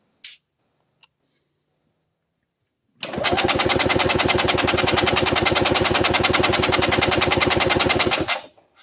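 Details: Compression test, cranking with throttle wide open: steady cranking about 3.5 beats a second, even light rhythm with little chug per stroke; only 50 psi against 90-120 expected, about half the compression needed.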